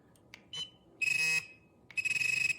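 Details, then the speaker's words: XP MI-6 pinpointer set to pulse audio mode through the cold menu, giving two short bursts of high pulsed beeping with quiet gaps, not a steady pitch; normal pulse-mode alert, distinct from vibration mode. "do you hear that okay two very different sounds vibration and pulse not Pitch"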